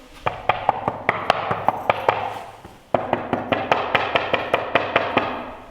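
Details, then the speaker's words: Tap test on newly installed wood-look porcelain floor tiles: a papery, hollow clack instead of a solid thud; a lifted tile showed no glue or mortar underneath or along its edges. "So we were able to lift one of the tiles, and you can see there was no glue, no mortar underneath the tile. That's why they all sound hollow."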